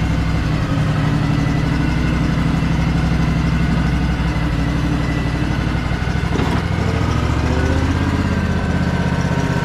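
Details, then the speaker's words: Craftsman DLT3000 lawn tractor with factory Honda 16.5 HP engine, given away as a non-starter, running after a choked start with no air filter fitted: low, even single-cylinder idle with a steady thump, smooth and quiet; runs healthy. "that is incredible it's running really smooth too it's super quiet sure it probably needs a car clean or at least running it for a little bit"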